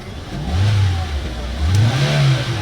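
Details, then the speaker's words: Hyundai Elantra, warm engine, after fixing crank-no-start caused by a burnt ECU box; scanner clean; revs up twice to about 6,000 rpm and settles back cleanly, pitch rising and falling smoothly; healthy revving. "Okay so aabot naman siya ng 6,000 RPM so B good ideal na to kasi naer na natin sa scanner"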